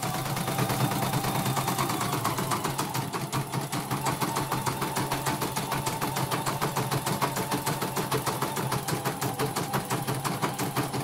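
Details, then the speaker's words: Embroidery machine after repair of a rough, snoring running noise, test-stitching with red thread: even, quick stitching clatter at about three beats a second with no snoring drone. It now runs very smoothly with stable stitching. "Ini sudah sangat lancar ini. Jahitannya sudah sangat stabil."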